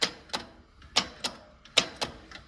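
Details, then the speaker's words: Yanmar 1500D tractor (believed 2TR15 engine), key turned to start: sharp dry clicks, two or three per second, with no starter spin. The solenoid throws the bendix, but its heat-worn rear contacts don't make connection; the fix is replacing the solenoid. "So you can hear the actual solenoid itself working in here and throwing out the bendix. But again, the issue is these contacts at the back of this solenoid are just not working, or not making connection, I should say."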